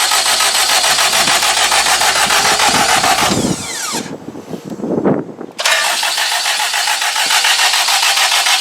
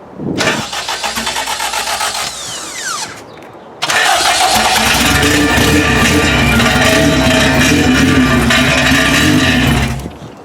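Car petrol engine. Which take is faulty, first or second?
second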